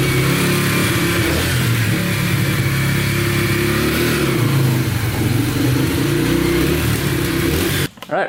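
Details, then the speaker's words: Yamaha TTR125 dirt bike (believed 2003) after top and bottom end rebuild, following a bad knock from running out of oil; revs up and settles smoothly, no ticking or knocking; sounds really good, ridden briefly in first gear, no leaks. "right runs and sounds good no ticking sounds really good and uh drove it in first gear for a little bit and everything seems pretty good no leaking at all"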